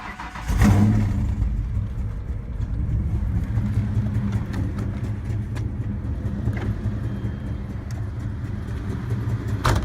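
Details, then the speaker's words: Ford Mustang SN95 (LS swap project) started in sub-freezing cold after a sensor fell out while driving. It now runs badly with a rough, uneven idle and raspy puffing from the open sensor port: exhaust leak. "yeah you can probably hear the hear the exhaust leak if you can see right there it was it was hanging down"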